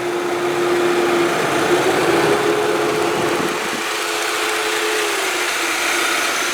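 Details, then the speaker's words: 2003 Saab 9-3 Arc, 168,211 miles, hot day: steady, even idle with the cooling fan humming and cycling on and off as it should, no taps, ticks or weird noises, no strange smell; normal idle. "As you can hear, there's no taps, no weird noises. I don't smell anything strange coming off of the, the motor."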